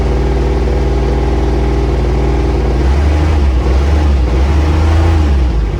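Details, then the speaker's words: Intimidator diesel UTV, old and worn, cold start: slow, steady cranking dragging on for seconds, hence larger battery; owner suspects glow plugs not working properly. "yeah so that's why i got the bigger battery always have to crank it for so long"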